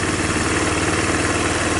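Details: Tao Tao Bull 150 ATV single cylinder after replacing the trashed carburetor: steady, even idle putter with no misses or knocks; smooth and healthy.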